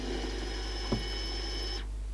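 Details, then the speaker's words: 1984 Aiwa FX50 cassette deck after new belts: rewind gives a smooth, even whirr with steady high whine and no rattle until it stops; solid, healthy transport mechanism. "rewind got a rather nice sound that one instead of rattling and stuff it sounds like it's a pretty solid mechanism"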